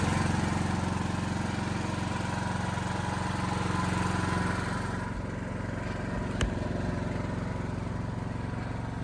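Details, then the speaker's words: Automatic backup generator after a cold start, having sat unused a while, warming up to temperature under light load through the transfer switch. Steady low drone with an even beat, no knocks or hunting. Runs smoothly. "Not much load on it right now, as you can see, it's pretty low. But this will run the entire building if it needs to."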